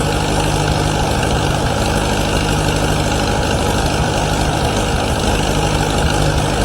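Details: 1953 Allis Chalmers WD45 gasoline tractor just rebuilt with new head gasket, radiator and hoses, steady even low rumble with no knocks, ticks or grinding; normal running, though coolant leaks at manifold studs and head gasket remain.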